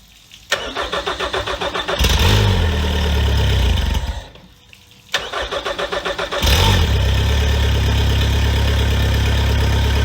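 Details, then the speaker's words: Honda 115 hp fuel-injected outboard on flush muffs after VST fuel system service: starter cranks about four beats a second, engine catches and dies, then second crank settles into steady idle. "All right, she might take a little to start up, but we'll see what we can do."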